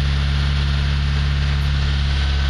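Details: ZAZ Slavuta 1.2 carburetted engine with 2nd-generation LPG kit, started on gas in winter (about -11°C outside) after warming the reducer to roughly body temperature, clutch held: steady low drone, even unbroken idle beat, no misses or knocks; normal cold idle.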